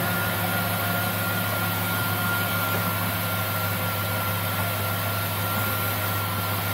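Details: Jeep Grand Cherokee WJ after radiator replacement and timing cover reseal, refilling and bleeding the power steering/hydraulic fan system: steady even idle with faint pump whir, no groan or aeration noise; fluid circulating cleanly, pump not running dry.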